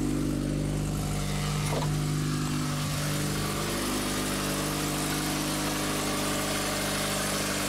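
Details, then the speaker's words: Corsa 1.8 petrol with new standard exhaust, started after replacing the bad alternator: steady, even idle, smooth low hum, constant tone, no knocks, squeals or misses; battery light now out, running normally. "that's good sign the battery lights got out you remember the battery light was on when we last started it so that's good"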